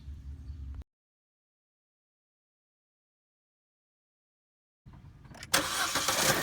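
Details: Chevy Cruze 1.4 turbo just after cold air intake install (new throttle-body pipe, MAF sensor reconnected): after a quiet pause it cranks and catches promptly, settling into a steady, even idle with no knocks or misses; normal start.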